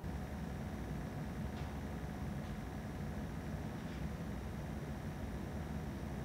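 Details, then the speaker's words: Nanlite Forza 720 LED light at full output, recorded about 50 cm from the light during a fan-noise comparison: a steady, soft airflow hum with a low rumble; normal cooling-fan noise. "그다음 포르자 720 의 풀 광양 팬 소우 입니다"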